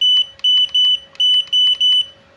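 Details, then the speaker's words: Godox AD300 Pro flash with a previously service-damaged board and a custom-built replacement module, power set to minimum, ready light on: six loud high-pitched beeps but no flash pop or charge whine; still does not fire. "Coba kita pencet ya. Iya, memang nggak mau nembak ya teman-teman ya."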